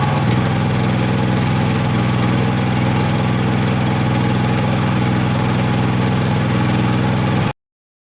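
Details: Dad's Honda 3000 generator, cold-started on choke after a day unused, running a heater: quick start, then an even, steady low drone with no surging, knocks or stumbles under load; healthy.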